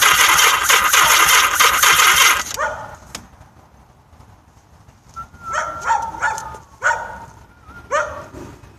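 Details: Yamaha XS1100 motorcycle no-start: short bursts of starter cranking slowing and stopping without firing; weak battery and incorrectly installed octy suspected, not confirmed.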